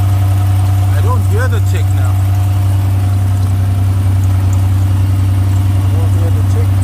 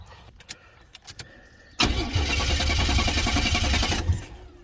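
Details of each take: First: 1980s turbo Buick barn find idling after struggling to restart: steady, even low idle with the previously heard tick no longer present; runs smoothly briefly, then shuts off by itself. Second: 1980s turbo Buick barn find, long sitting, smoking, hard to restart: cranks and catches, runs roughly about two seconds, then shuts off by itself; tick no longer heard, cause unclear.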